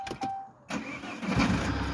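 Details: Jeep Cherokee start: short uneven cranking bursts before the engine catches and settles into a rough idle; slow, hesitant start; hard starting.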